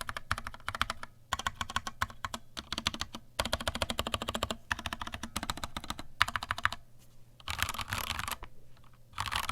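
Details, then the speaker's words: Vortex Cypher keyboard, stock Cherry MX Silver linear switches, stock keycaps without o-rings, microphone moved down, keys bottomed out: quick crisp clacks in fast bursts with firm bottoming-out thud; normal key switch sound, not unpleasant. "all right okay so that is a rough ish sound test of what this vortex cipher with the MX Silver's sounds like it's not unpleasant"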